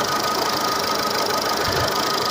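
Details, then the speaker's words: Seat Ibiza 6L 1.4 petrol with engine light on, misfiring on three cylinders: with coil two unplugged the idle becomes lumpy and stumbling and nearly stalls, while unplugging coil four changes nothing, pointing to a failing coil four. "however if we remove the one on two which is supposedly not failing here we see that it even wants to stop"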